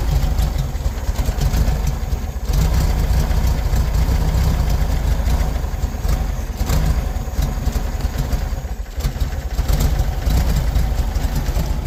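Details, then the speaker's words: 1973 VW Beetle idling unevenly and lumpy, beat stumbling and dipping every few seconds; runs rough, starts first time, chugs, then won't run and just cranks; new ignition parts and carburetor rebuild kit to be fitted. "As you can tell, it runs kind of like garbage. Uh, so I got some new ignition parts for it in a carburetor rebuild kit that we're going to go ahead and put in it."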